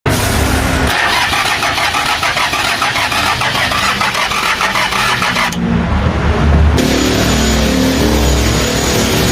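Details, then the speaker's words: Engine cranking but not starting: steady fast starter churning with no firing, a pause, then another long crank. The cause turned out to be loose screws and broken rocker arms and cups, to be replaced. Crank no start. "Mga bossing ayaw mag-start sa dulo lang. Ayaw mag-start."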